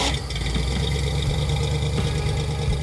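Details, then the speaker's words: 1962 Ford Falcon van, after correcting the ignition timing and the oil spilled on the exhaust heat wrap: even, steady idle with a smooth low rumble and no knocks or misses; runs like new. "we remedied both of those, the thing ran like a brand new car."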